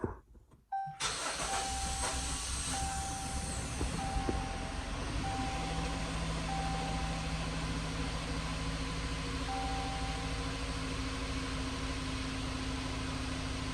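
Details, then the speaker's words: Car engine first start after finishing assembly (alternator, belt, exhaust fitted): fires after a short crank, steady even idle, smooth low drone, no knocking; engine light on, may run rough while the computer relearns. "It's running. Look at it. It's running."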